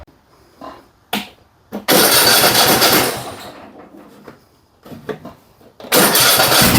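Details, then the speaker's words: Cub Cadet XT1 Enduro garden tractor that grinds and vibrates when the mower deck engages, noticed after washing: a few knocks, then a loud harsh grinding racket as the deck runs, suspected failing deck spindle bearing. "first thing that comes to my mind down that and I hear that we got a spindle bearing that's starting to go out on it"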